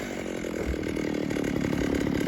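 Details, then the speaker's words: Vintage 1960s Stihl 08S chainsaw, about 60 cc two-stroke, sticky trigger, cutting firewood; rapid buzz labouring unevenly in cut without crisp top-end, owner says it has lots of snort but needs a bit of adjustment; uneven high-speed running, possibly slightly lean. "It's got lots of snort anyways. It's kind of annoying that the trigger's sticky. This thing needs just a bit of adjustment."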